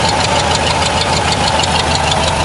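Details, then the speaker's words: 1991 Ford F150 with the 5.8L V8, just started on brake cleaner after sitting, idles with a fast, sharp ticking from exhaust escaping through a known cracked exhaust manifold, then stalls; it no longer idles at 2000 rpm as it did before. "you can hear the exhaust leak and and we're dead you can hear the exhaust leak but she started"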